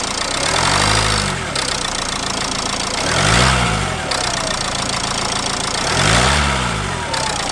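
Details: Dacia Logan idling and revved, owner suspected gearbox: chirping, whirring noise rising and falling with engine speed actually comes from the accessory drive; belt to be removed to check all pulleys; accessory drive pulley noise.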